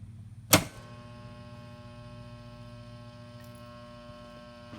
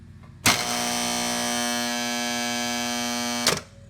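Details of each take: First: Cutler Hammer CN35NN3 contactor, previously noisy with lots of chatter, after repair: a steady low mains hum with no chattering buzz, just a few brief handling knocks; the contactor pulls in quietly, as good as new. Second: Cutler Hammer CN35NN3 contactor, reported very noisy, with a loud harsh buzz and chatter starting on energizing and holding about three seconds until release. Cause unknown before teardown.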